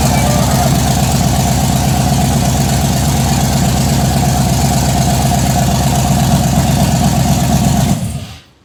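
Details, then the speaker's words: Blazer build, cammed engine, first start-up with fresh headers, fuel pressure at 50 psi (needs about 58): loud, choppy, uneven lumpy idle, shaking, then shut off; normal lope from an aggressive cam, burning smell from headers. "Jeez, that's loud. Why is it shaking so much? It's cammed, babe."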